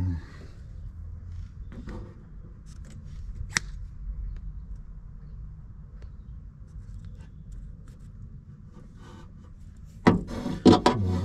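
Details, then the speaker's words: Renault Fuego Turbo door: sharp metallic clacks every time it opens, from the door check strap with play in its pin, which is very hard to access. "bon j'ai trouvé le truc qui fait du bruit là qui claque à chaque fois que j'ouvre c'est le truc d'arrêt là il y a un peu de jeu sur la goupille"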